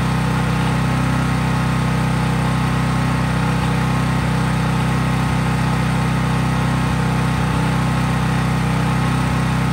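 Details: Craftsman 5000-watt portable generator, cold-started outdoors and running at governed speed with just an LED bulb, so no load: a steady engine drone with a deep, constant hum and no misses or knocks. Normal, healthy no-load running.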